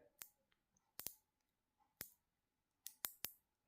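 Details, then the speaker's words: Black Forest cuckoo clock mechanism, chain already replaced, wheel turning: sharp dry clicks, about seven in four seconds, unevenly spaced, as something catches; suspected sprocket problem, not confirmed. "You can hear the clicks. That's what happened the other day the last time."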